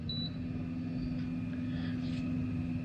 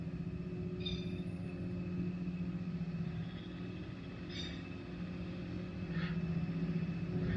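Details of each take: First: Electric trolling motor after a prop-off service, running at its sweet speed setting: a steady, even low humming tone, running smoothly and well. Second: Electric trolling motor run at about setting six or seven, nut-loosened end cap being rotated: steady low hum whose pitch sags slightly as the cap moves off position; the cap is tuned to a sweet spot and locked.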